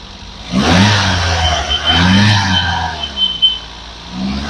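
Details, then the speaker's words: 2011 Toyota Etios Liva petrol, a well-maintained used car in very good condition: quick throttle blips rise and fall cleanly from idle with no rattles, knocks or misfire, a smooth, healthy idle and rev. "Friends ಕೇಳಿಸಿಕೊಂಡ್ರಾ sound ತುಂಬಾ smooth ಆಗಿದೆ petrol engine well maintain ಮಾಡಿದ್ದಾರೆ"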